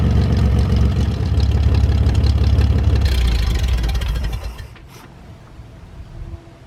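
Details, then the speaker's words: GMC 432ci V6, sitting almost 5 years, first start after priming the fuel pump: deep, even low rumble with no knocking or misfire, then shutdown; slight smoke on startup that clears once warm. "foreign well folks it was nice to hear the 432 fire up"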